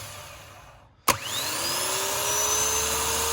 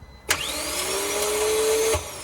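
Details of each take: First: Starter from a 2014 Vauxhall Vivaro 1.6 CDTI non-runner, bench-tested off the van with a jump pack: sharp clack as the pinion throws out, then clean whine climbing steadily as it spins freely; healthy starter. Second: 2014 Vauxhall Vivaro 1.6 CDTI diesel non-runner: a high whine for under two seconds with no cranking, as the starter motor pinion is not engaging; a ruined ring gear is suspected but unconfirmed.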